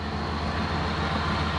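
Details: Toyota BJ40 Land Cruiser with 1UZ-FE V8 swap and manual gearbox, running before the ECU is refitted after fixing bad earths on the back of the block that caused intermittent spark: fires and settles into a steady, even V8 idle, no misfire, knock or hunting.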